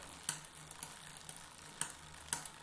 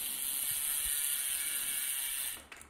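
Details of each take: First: Bicycle rear derailleur during setup and limit-screw adjustment: sharp, light ticks at irregular intervals, about four in three seconds, over a quiet drivetrain. Backing the screw off further is needed to stop the tick. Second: this is before so now ya are quiet that is that's how you know that's adjusted there's no rubbing or anything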